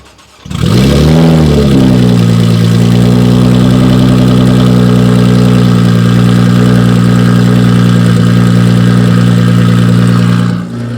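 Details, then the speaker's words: Cold start of a roughly 1,350 hp built Nissan GTR: the starter catches, revs flare, then settle into a steady, deep, even idle held high, at about a thousand rpm. This is a normal cold start with a high idle. "I see what you mean by when you say idle high it sounds like it wants to get out of the cage and go"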